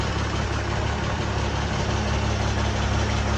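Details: Oliver 1755 diesel tractor after winter sitting, cold start on recharged battery: steady, even low chug with smooth unbroken rhythm and no knocks or misses; oil pressure and charging good, idling healthy.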